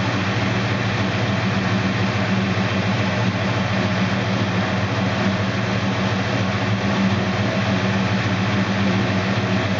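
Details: 1969 Dodge Dart Swinger 340 V8, first start after reinstalling the K-frame, engine and transmission assembly: steady deep rumble at a fast, even idle, no knocks or misses; normal running.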